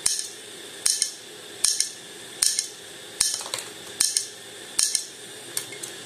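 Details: HP all-in-one 22-inch PC: sharp metallic clicks in pairs about every 0.8 seconds, steady and repetitive, from the hard disk; hard drive clicking, likely a failing head.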